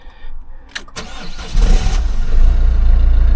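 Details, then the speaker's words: Later 1.6 HDi diesel (engine code possibly DV6): the starter churns briefly, then the engine settles into a steady, even idle with no knocks or misses and no warning lights. Normal start. "Well, it starts up alright. No warning lights on."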